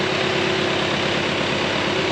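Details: RingTracktor with freshly rebuilt engine (new pistons, single camshaft, hoses; block possibly used but revised), first start after return, a bit of smoke: even, regular firing pulses at steady idle, no misses, knocks or rattles; running smoothly.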